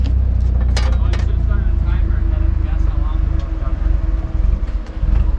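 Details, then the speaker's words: Nissan 240SX, fuel pump disconnected to bleed fuel pressure before removing lines: steady petrol idle sags, stumbles and dies quickly; finding: engine stalling from fuel starvation. "oh c'est déjà en train de mourir c'était rapide en fait la dernière fois que ça a duré une minute entière c'est assez sauvage"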